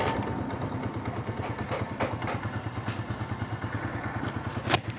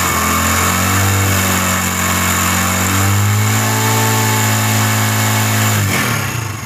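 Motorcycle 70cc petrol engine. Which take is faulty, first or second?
second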